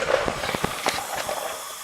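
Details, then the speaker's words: Small-block Chevy engine, leak-down test showing about 60% leakage: steady airy hiss with faint ticks. Covering the exhaust by hand quietens it and uncovering makes it louder, so air is leaking past the exhaust valve. "And we know if we this is the exhaust, and we know if we put our hand over that, the sound gets less, and we take it off, it gets louder."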